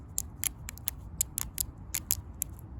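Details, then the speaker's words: Echo PB230LN blower that wouldn't rev, with a purge bulb that wasn't returning: the old fuel pump diaphragm, flexed by hand with the engine off, gives dry, crunchy crackling clicks, a hardened fuel pump diaphragm. "You can hear it. Crunchy crunchy for the fuel pump."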